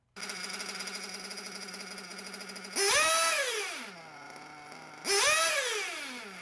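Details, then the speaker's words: Warm (about 100°C) RC nitro engine with lean low-speed needle: buzzy idle, revs up crisply twice with good top end and drops back to idle nicely, then idle rpm starts rising from too little fuel at idle. "so you hear that it's the engine sounds okay goes back to idle nicely but then the idle starts rising it's a low speed needle too lean"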